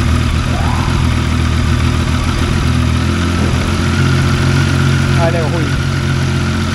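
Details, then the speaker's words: Motorcycle idling with a light, uneven metallic gear rattle from the primary and secondary gear set. It stops when the clutch is pulled in and persists despite new clutch discs and springs; considered a common characteristic. "se eu apertar a embreagem nesse momento o ruído some porque aí eu paro o conjunto interno como vocês viram e paro o primário né"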